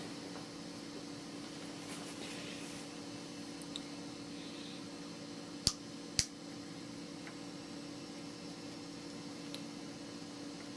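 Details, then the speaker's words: 1999 eMachines computer from a thrift store, booting Windows 98: constant loud whir with steady tones and a couple of sharp clicks; owner suspects one of the fans, probably just old; loud fan noise. "It is a pretty loud machine. I mean, it's probably one of the fans. It's probably just old."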